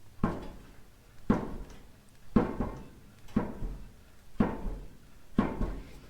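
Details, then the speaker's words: Cheap car hauler trailer wheel rocked by hand: dull clunks about once a second with short metallic tail; 3 of 4 wheels move when pushed, loose wheel bearing preload needing tightening and repacking. "move like that when you push on them. So I'm gonna have to tighten up the preload on these, repack them, get this jacked up, and give those an inspection."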